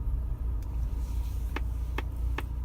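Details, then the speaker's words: 2015 VW GTI MK7 with DSG, about 44,000 miles: three sharp clicks about 0.4 s apart from behind the steering wheel in the column, over low car rumble, turning at low speed under 10 mph; clicks at roughly every quarter turn of the wheel. "okay so I've been hanging my car at lower speeds when I make turns it makes a clicking sound kind of behind the steering wheel and in the column"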